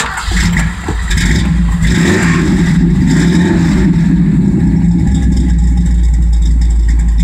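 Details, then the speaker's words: 1965 Ford Galaxie V8 with Holley carb and electric pump plus homemade fuel return line against vapor lock: cold start, brief crank then strong steady fast idle with even low rumble, no stumbling. "but you know it runs real good so we'll go and kick her over here and let her run"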